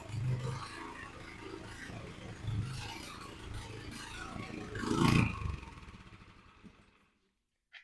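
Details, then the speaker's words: Troy-Bilt tiller engine, rust in the gas tank, at low idle. Uneven surging and sagging before fading; fine at higher idle. Owner suspects possibly a jet and will adjust the idle. Rough idle with a stalling tendency. "so you can kind of hear it there where it's sounding like it wants to sort of die, just like because I think it's just at low idle."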